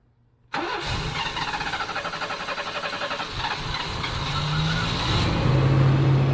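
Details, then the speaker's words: Fuel-injected GMC Typhoon, first start after sitting over 10 years, with transmission fluid in the cylinders; it cranks, catches and stumbles with lumpy, uneven firing before smoothing slightly, rough start and misfire. "Oh, ho, ho! It doesn't want to run on transmission fluid. Doesn't like transmission fluid."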